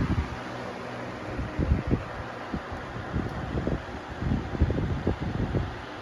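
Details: Lasko Weather-shield box fan, 2018 model, 1 amp, 60 Hz, after one year of ownership, on high speed: a steady airy rush with some gusty low thumps and no rattle or scrape. Normal running.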